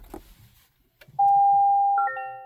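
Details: 2024 Toyota Tacoma Hybrid with 5,000 miles that won't start, no cranking or clicking: a single chime, then a higher layered two-tone warning with no engine note, while it shows hybrid system stopped and EPB activation incomplete.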